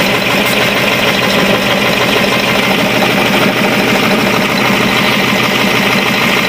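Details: Caterpillar 3208 marine diesel, starboard engine, after repairing injection pump plunger and barrel seized by diesel corrosion after 18 months stock: even, steady idle with smooth regular beat, no knocks or misses; running healthy.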